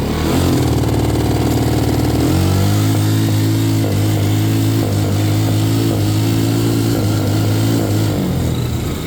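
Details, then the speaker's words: Can-Am DS90X after swapping in an aftermarket CDI box, plugs and battery also tried: idles well but at wide-open throttle holds a steady buzz then stutters in uneven breaks with backfire, now immediately rather than after 10-15 seconds; cause unknown. "At wide-open throttle, you're going to hear it go full, and then I'm not moving my hand on the throttle, but you'll hear it ba ba ba ba"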